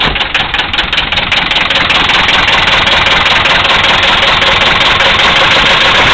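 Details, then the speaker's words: 1974 Mercedes diesel that started without working glow plugs: harsh, steady clatter at idle with a regular heavy knock about two to three per second underneath. Rod knock. "there you have it 1974 Mercedes with a rod knock still running"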